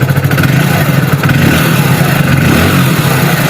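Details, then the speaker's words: BS6 fuel-injected motorcycle after injector tested with multimeter and reassembled, throttle blipped: loud even note rising and falling with no stumbles; previous misfiring cured, check light still on, ECM refresh possibly needed. "था missing, जो अब गाड़ी missing नहीं कर रही है।"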